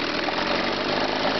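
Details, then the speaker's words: Chrysler 9.9hp two-stroke outboard idling: ragged, uneven crackle with skipped beats; lean misfire at idle, remedied by backing off the low-speed fuel mixture. "okay I got one to run lean here this is the misfire they do when they're lean"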